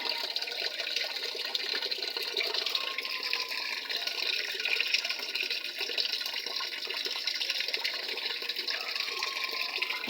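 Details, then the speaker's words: Panasonic 7 kg top-load automatic washer after control board replacement, set to middle water level (of high, middle, low): steady hiss and splash of water pouring into the tub, no hum or knock; fills normally. "Yan, medyo mataas lang ng konti yung tubig niya. Pero titigil na yan kapag naabot na yung water level na middle o medium."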